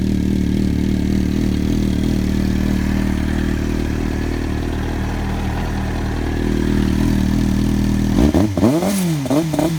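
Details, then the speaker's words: Triumph TT600 motorcycle after IACV hose replacement and reassembly, slow to start at first: steady, even idle with a smooth low beat and no misses, then a few clean throttle blips; runs healthily. "Hey guys, got the bike back together again, and it actually took a while for it to start up. I was concerned that I had something plugged in incorrectly, but she seems to fire up nicely now."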